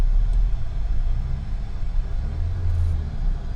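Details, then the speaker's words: 2011 Buick Regal Turbo after timing chain repair, idling with the A/C blower on full: low, steady rumble with no misses or ticks, fan whooshing behind it; engine now smooth and healthy. "Man, the engine's smooth now, though."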